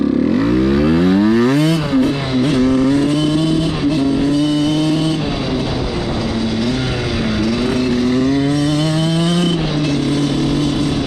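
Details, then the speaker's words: Suzuki RM85 two-stroke dirt bike, ridden right after repeated wheelie attempts: revs climb, then sag and waver under throttle instead of pulling cleanly, so it bogs; the owner suspects carb problems, but this is not confirmed. "What's going on, guys? My bike is definitely acting up right now."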